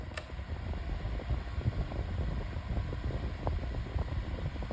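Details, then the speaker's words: Better Homes and Gardens 8-inch retro metal table fan on high speed: steady, even rush of air with low hum and no ticks or rattles; moving a lot of air, healthy on high. "It's moving a lot of air now on high."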